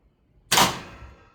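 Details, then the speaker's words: Chambers Auto-Stat oven timer reaching zero: a ceramic rod drops and pushes the mechanism down, locking and shutting the oven off, heard as one sharp, crisp clack over near silence; normal shutoff. "So, it moves this rod down, it triggers the mechanism that this locks."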